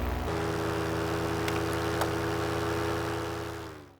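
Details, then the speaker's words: Paramotor two-stroke cruising at about 1,000 ft: steady drone with one sharp clunk, engine unchanged, as a piece of the motor came off and hit the helmet; pilot later checked the pulley. "I did hear a little clunk and you can hear it in the video and I also felt it hit my helmet"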